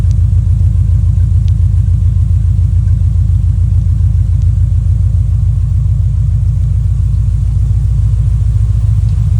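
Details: Subaru Impreza GF wagon, with an ignition coil arcing/misfire issue and coil replacement: an even, steady, low idle thrum with no stumbles or skipped beats, firing on all cylinders. Normal idle.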